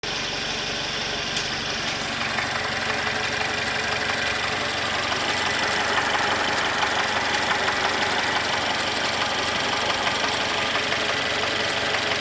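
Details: Mercedes M274.920 engine at idle with a fast, regular light knock of roughly three per second over the engine note: connecting rod knock.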